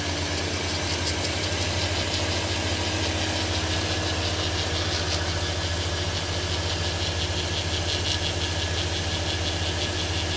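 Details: 2015 Audi A3 1.8 TFSI petrol engine idling with a faint, rhythmic scraping tick over a low hum, heard at the front. The dealer first blamed turbo impeller scraping and fitted a new turbo, but the noise remained. They refitted the old turbo and called it normal. Pulleys were ruled out; the cause is unidentified.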